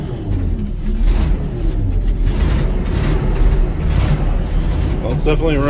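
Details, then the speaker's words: 1980 Ford LN700, 370 big block V8 four-barrel, after sitting a few years: deep steady rumble with even idle and no misses, hitting on all eight; known bad exhaust leak. Normal idle. "running under its own power sounds like it's hitting on all eight"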